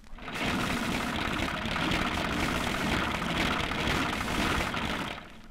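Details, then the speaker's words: Old car engine, hot, throttle blipped: dense metallic clashing rattle over the running engine from worn timing gears. "can you hear that clashing rattle that's worn timing gears and you can hear it when the engine is hot and you'll flip the throttle"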